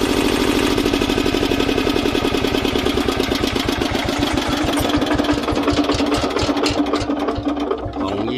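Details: Old Japanese 10 hp single-cylinder diesel welder/110 V generator set with electric start: even thumping roughly ten beats a second, then slows smoothly and stops; healthy normal idle and shutdown.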